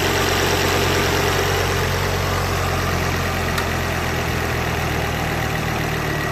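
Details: Mk2 pre-facelift Ford Focus ST petrol engine idling steadily with a light, fairly regular click about three times a second underneath: clicking noise at idle.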